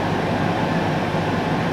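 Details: Cosori Dual Zone air fryer with both drawers cooking at 200° air fry in sync cook, after preheat. An even, constant airy whoosh with no ticking, rubbing or wobble; both fans sound normal.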